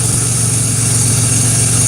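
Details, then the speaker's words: Pontiac Grand Prix GT engine idling: a harsh, gritty grinding over the steady low rumble from the AC compressor, which is barely turning and described as completely shot. "You can hear that AC compressor really grinding down there. I'm sorry about that, guys. This sounds terrible. It's really grinding hard."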